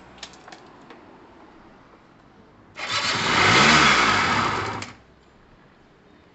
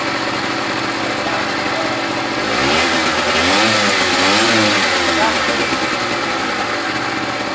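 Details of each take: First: Gilera DNA 125 two-stroke scooter with fuel dropped straight into the cylinder: after silence the engine catches, buzzes about two seconds, rises slightly and cuts out, running only on the priming fuel. Owner blames the carb; the reed valve is unchecked. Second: Gilera DNA 125 two-stroke started after a new fuel line, with two-stroke oil mixed in the petrol: crisp buzz rising through a couple of blips and dropping back to a steady, even idle; running healthy.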